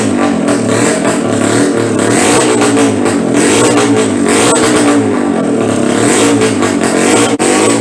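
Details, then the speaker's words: BSA Bantam two-stroke race engine (#1 engine) on test run: rough, uneven revving that won't hold clean revs and lacks power, worsening as it warms up and won't take a tune; owner suspects a cracked barrel sucking air. "Alright, as you saw before, we've been running this up with the #1 engine, and the same issues as before are manifesting themselves, which I suspect there's a crack in the barrel somewhere and it's sucking air, but it sounds like it's the warmer it gets, the worse it gets, and you just cannot get a tune on it."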